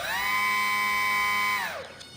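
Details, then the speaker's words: E-flite UMX Pitts S-1S electric biplane, throttle gently raised during pre-flight check with plane secured: clean, steady high motor whine rising and winding down evenly, no roughness or rattle; normal electric motor run-up. "we can hear the wind of our motor and we know it's working just fine"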